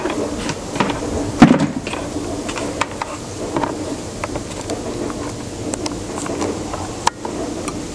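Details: Volvo S70 body bounced: light irregular ticks and an odd dull knock from the suspension; owner suspects worn strut mounts, not confirmed.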